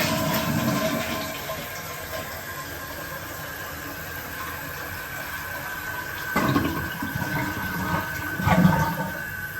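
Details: Toilet after replacing the whistling fill valve with a Fluidmaster Performax universal fill valve: a clean flush rush followed by a quiet, even refill with no whistle or scream; the new fill valve works properly.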